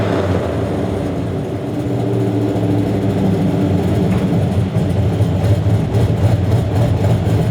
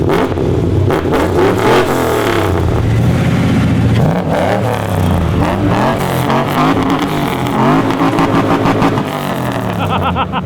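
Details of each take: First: 2004 Chevy Silverado 1500 V8 with long-tube headers and stage 4 cam, $90 eBay exhaust cutout: deep rumble under revving with loose, uneven rattle and puffing; failed cutout valve now leaking exhaust. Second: 2004 Chevy Silverado 1500 LT 4x4 V8 with long-tube headers and a stage 4 cam, eBay exhaust cutout valve closed while it still worked: a deep burble that rises cleanly with revs and settles with no rasp or drone, a normal exhaust note.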